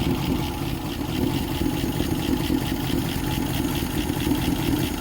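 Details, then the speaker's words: 1955 Ford at 65 years old, smooth even idle firing cleanly on all cylinders; earlier misfire traced to a bad spark plug wire, diagnosed with circuit tester from distributor down; normal idle. "oh yeah tell you what she does run good to be 65 years old"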